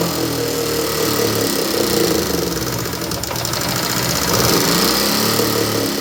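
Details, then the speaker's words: Motorcycle that won't rev and won't pull load while riding, before repair; uneven, lumpy idle with hollow chuffing coming out of the air intake rather than the silencer; sounds starved; rough running, won't rev. "तो आपने इसी का जो है वह sound भी सुना और जो है इसका आवाज़ बहुत ही खराब है और ये रेस भी नहीं ले रही"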